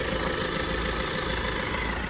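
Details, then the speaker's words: High-mileage Vauxhall Astra diesel from auction, coolant checked, restarted: steady, even diesel clatter at idle with no misses or knocks; engine sounds quiet and good. "Well, it sounds quiet. Let me just turn it off, turn it back on again. That's how diesels normally start anyway. I mean, the engine sounds good."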